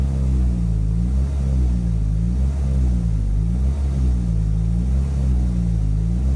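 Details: Toyota 2.4L truck at full throttle after the code was cleared and a loose distributor wire was fixed: deep drone that only rises and falls slowly and never pulls up; restricted exhaust from a clogged catalytic converter.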